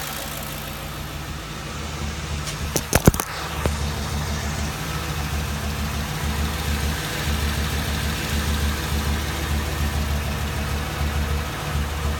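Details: 2007 Ford Crown Victoria with a lumpy idle, a low throb that stumbles and drops out unevenly instead of running smooth; engine misfire at idle.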